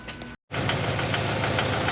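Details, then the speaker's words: Replacement engine in a Toyota GT86 that previously wouldn't crank, now started: rough run with a repeated sharp tapping riding over it, sounds like a deep internal knock and broken; cause unknown. "It definitely sounds in the four. Definitely sounds like it's knocking."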